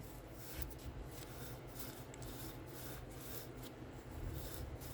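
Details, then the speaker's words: Front Dana 30 axle hub from a 1996 Jeep Cherokee XJ being reassembled, turned by hand: dry, gritty rasp swelling and fading; one hub feels chunky, maybe from sitting a long time. Rough bearing rotation, cause uncertain, little play. "This one and this one is chunky. So. I don't know. Let's see if you can hear it."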